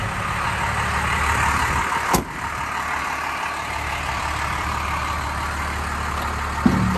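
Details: 1993 Dodge Ram W-350 4x4, 12-valve 5.9 Cummins intercooled diesel, automatic four-speed, 51,414 original miles, fully serviced, just started: even settled rumble at constant speed, only a couple of stray clicks; clean, healthy idle.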